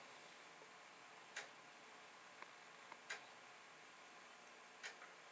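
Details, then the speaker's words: Commodore 1541 disk drive formatting a disk in a torture (burn-in) test: crisp single ticks every second or two over a quiet hiss, the head stepping track to track; drive sounds healthy. "So you can hear the head doing its thing. I think what we're going to do here is let this run through once."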